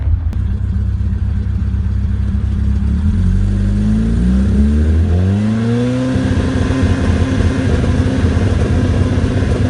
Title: 182 OMEX misfire